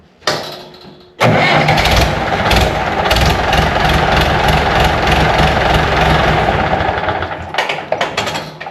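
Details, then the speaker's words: 1970s International 574 tractor after starter repair, engine previously stopped where it always rests: brief starter whir then clean engagement and steady start with no grinding, where before it ground three or four times. "definitely better it would have ground three or four times before it finally engaged"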